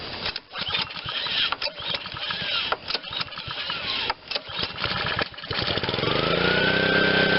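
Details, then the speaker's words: Honda GCV160 on Black Max pressure washer after sitting, on choke, single throttle setting: uneven sputtering bursts about four per second settling briefly into a steady run; won't run unless primed, owner suspects bad gas, plans carb cleaning. "just just uh will not run on its own if i prime it it'll start and run but uh my guess is bad gas"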